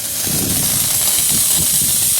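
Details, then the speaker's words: In-ground sprinkler blowout with a 22-gallon air compressor, zone 4 second blast: steady loud hiss of mostly air with faint spitting of atomized water droplets; head nearly blown dry. "But it's mostly air. These are just little drops of water that are being atomized as they come out, which is what a sprinkler is going to do."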